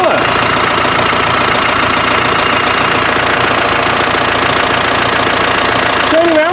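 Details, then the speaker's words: Land Rover 300Tdi diesel idling, warming up: a sharp, even chuffing tick about three and a half times a second over the clatter, probably compression leaking at the glow plugs after cheap parts were fitted. "I think we've proved the point that when I could hear that chuffing it was probably coming out of somewhere these in glow plugs"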